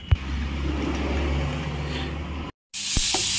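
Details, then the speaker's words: Bajaj Pulsar that sat unused a long time, after fitting new gapped Champion spark plugs: single-cylinder catches quickly and settles into a steady, even low putter with no misfire or knock; clean start and idle. "তো bike আমাদের start হয়ে গেছে। তো এবার আপনাদেরকে সাউন্ডটা শোনাচ্ছি guys."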